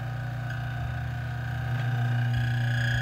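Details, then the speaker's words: DF64 single-dose coffee grinder switched from coarse back toward espresso: steady motor hum with a scraping rub that rises as the setting goes finer; burrs catching on a trapped coffee particle, not actual burr contact. "so you can hear it sounds like the burrs or something obstructing the burs"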